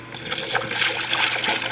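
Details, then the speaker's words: Lexus IS300 with 200k+ miles, refilling with diluted Toyota red coolant through a funnel during an engine refresh: gurgling, bubbling as air burps up. The cooling system is holding with no leaks. "so you can hear how it's bubbling up like this that only happens when you don't have any leaks in your system"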